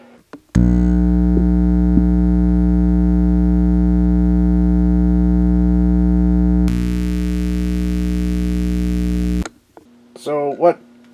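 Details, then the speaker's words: Yihua 939D soldering station, after being left on overnight and getting warm, makes loud steady mains hum with buzzy edge; cause is transformer laminations, held only by screws, loosened by heat. "now when you turn it on it makes a funny sound there it hums a lot"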